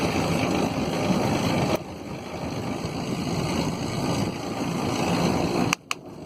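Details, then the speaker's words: Quest velomobile with Nazca power side idler, original KMC 9-speed chain, small chainring, riding: loud steady rolling whir and rumble with faint high ringing; idler has no O-rings, extremely noisy. "Well, I don't know if you can hear me, because this idler is certainly one of the loudest things I've ever used on a bike."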